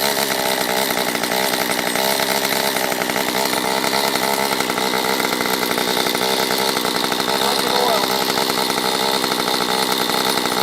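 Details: Stihl MS194T chainsaw after fuel-issue no-start fix, carb richened on low and high within limiters: steady high buzz at constant speed over ten seconds, no stumbles or surging, clean and strong; normal running.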